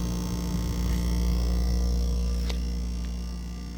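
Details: GE French door refrigerator, model GFE28GMKES: a very loud, steady low buzz with no break, heard across the house through noise-cancelling monitors. The cause is unknown.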